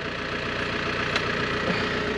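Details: Land Rover Santana 109 Super diesel at idle, with the owner noting the fan belt may slip a little. A steady, even idle with a smooth, regular beat and no knocks or misses; a healthy engine.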